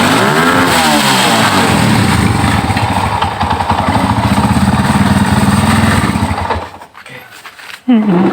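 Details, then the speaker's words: Yamaha Scorpio motorcycle with complaint of no power and sputtering, started without choke during carburetor setting: small single revs up freely and crisply, then cuts off; clean revving. "ini saya kontak lagi, saya hidupkan tanpa cuk ya, itu sudah ke atas"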